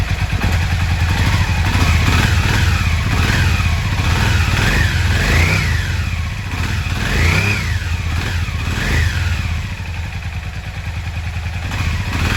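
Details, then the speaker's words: Yamaha XV 535 Virago barn find, laid up about 10 years since October 2013, started by feeding 12 V directly to the starter: the twin fires and keeps running, its deep steady beat swelling cleanly when revved. Normal running and revving. "Ja, letzter Start versucht. Hat geklappt. Der Motor läuft, ich bin zufrieden."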